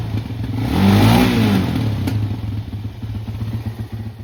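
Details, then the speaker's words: Suzuki LTZ 400 ATV (believed 2004): it had run weird on throttle and thrown oil, suspected from an unplugged vent. With the vent plugged, it picks up smoothly on a blip and returns to an even idle with no spitting or misfire. Normal running. "all right so we fixed that issue once I plugged in this vent right here and I still haven't plugged these up so they'll run a little bit better after that"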